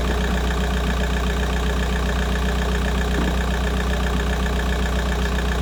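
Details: VW Golf 4 started after replacing the leaking coolant water pipe seal on the cylinder head: steady, even low idle with a smooth regular beat and no knocks or ticks; normal idle.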